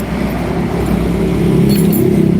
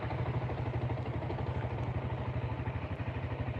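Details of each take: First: Single-cylinder motorcycle after a shop rebore and new piston, hard to start cold: harsh, clattery, rough running because the piston was installed backwards. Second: Single-cylinder motorcycle that had a rebore and new piston, now running with steady idle, even firing pulses, no knocks or rattles; normal idle.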